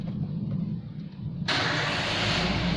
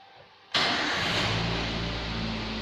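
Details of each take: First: 2011 Toyota Avanza VVT-i with the throttle position sensor connector unplugged: starter churns briefly, then the engine catches and runs loud and fairly steady, no obvious change; scan tool shows P0120 throttle/pedal position sensor circuit fault. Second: 2011 Toyota Avanza VVT-i during engine management system servicing with a scan tool connected: engine catches at once and settles into a steady, even idle with no hunting or stalling; normal start and idle.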